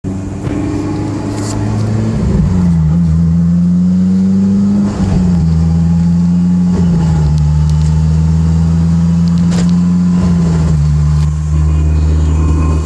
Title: AP1 S2000 wierd consistent whining noise... Diff or trans?